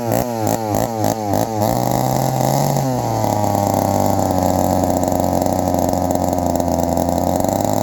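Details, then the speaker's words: 1972 Remington two-stroke chainsaw; it blips unevenly, then settles into a wavering, hunting idle that sounds ready to die. It keeps cutting off, and the owner suspects the mixture or idle screw needs adjusting. "she cut off guys she cut off again she keeps cutting off it's hard to find The Sweet Spot"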